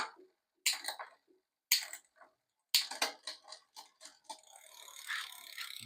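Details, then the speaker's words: New Aventon Soltera e-bike build, rear derailleur: irregular bursts of sharp clicking and chain chatter about once a second during shifts; poor shifting from low cable tension. "Okay, you hear shifting is not so good. Like I said, I'm going to come here and turn this barrel at a quarter to a half a turn counterclockwise."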